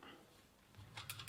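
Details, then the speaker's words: Sturmey Archer 3-speed drum-brake hub after swapping back to the old cone, adjusted with slight play: quiet spin with only light freewheel ticking near the end; spokes no longer hit the brake reaction arm, wheel spins freely. "the spokes are no longer hitting the brake"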